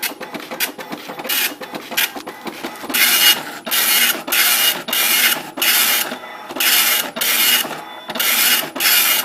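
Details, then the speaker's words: Apple IIc with ImageWriter II printer doing a color test, printing in every color it can (yellow, red, blue, orange, green, purple, black); raspy high buzzing bursts about half a second each as the head sweeps back and forth; normal printing. "what it's doing is it's printing in every color it's capable of printing in."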